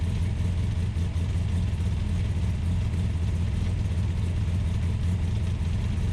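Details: Ultima GTR supercar with American V8, started on a jumper pack and warming up: steady, fast, even drone with deep low rumble and no dips, idling high; fans pulling hot air though the temperature gauge read only about 60 degrees.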